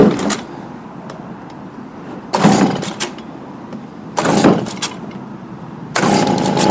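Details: Stihl BG55 two-stroke leaf blower, formerly no-start, on new C1Q-S68G carburetor (old had torn diaphragm), around carb adjustment for more power: idles, then revs cleanly in three quick bursts and drops back each time without bogging; running normally.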